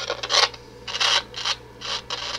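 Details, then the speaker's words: Realistic Minisette-9 cassette deck after belt replacement and switch repair, pressing play: irregular scratchy crackle bursts about twice a second over a faint hum from the speaker; owner suspects a dirty volume pot. "i don't know if you could hear that but i heard just a little crackling from the speaker"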